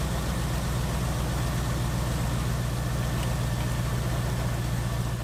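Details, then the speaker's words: LS-swapped 1949 Ford F1 after sitting over 2 years, first runs with an oil leak: low, lumpy idle that stumbles now and then; misfire, with a suspected injector to be found via OBD2 scan; engine misfire at idle. "All right, it's running, but it does have a miss."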